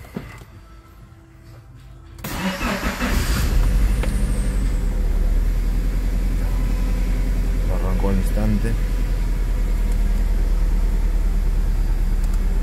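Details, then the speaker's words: Mitsubishi Cedia 4G15 GDI, cold start: cranks and catches, then settles into a lumpy, uneven idle stumbling about three times a second; mechanic suspects one cylinder not working, not yet confirmed. "vamos a alargar probablemente hay un cilindro que no trabaja vamos a ver qué cilindro"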